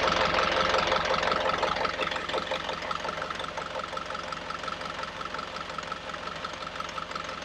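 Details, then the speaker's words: Yanmar 4JH3-TE diesel on 43 ft sailboat, first start after clearing hydrolock from water entering via incorrectly plumbed driveshaft seal: settles into steady even chug, water spitting from exhaust, a little smoke, nothing knocking; normal idle. "oh my God she's alive and we saved her water was spitting out the exhaust a little bit of smoke which that was understood"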